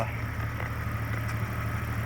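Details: 1998 Jeep XJ idling smoothly and evenly, no misses, knocks or hunting, after replacing the throttle position sensor, which cleared 6 of 8 stored codes; a transmission control module code remains; runs much better.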